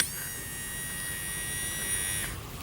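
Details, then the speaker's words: Honda Odyssey sliding door closer motor, removed from the latch mechanism and powered with 12 V: it buzzes steadily for about two seconds each way and runs fine, so the jammed mechanism, not the motor, is the fault. "Goes fine one way. Goes fine the other way. So the problem is not actually the motor, the problem is that the rest of the mechanism is jammed."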